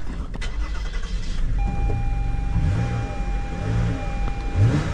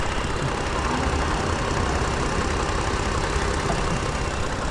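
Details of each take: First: 2018 Toyota Sienna with replacement engine, crank-no-start diagnosis: engine catches and runs with an uneven, lumpy low beat, misfiring and not smooth; permanent codes for coils A, B, C and engine coolant temp sensor 1 circuit high; looks like a bad ground. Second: 2018 Toyota Sienna with replacement engine, after fixing a loose ground that caused a crank-no-start: engine settles into an even, steady idle hum without stumbles or misses under background noise; runs normally.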